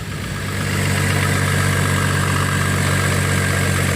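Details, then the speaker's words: Used Chevrolet Trailblazer at idle, settling down with a faint quick tick about four per second. Owner is unsure whether it is a lifter in the upper engine or a rod knock. "really hard to say it sounds like it's a lifter baby in the upper part of the engine I think it's a rod in myself"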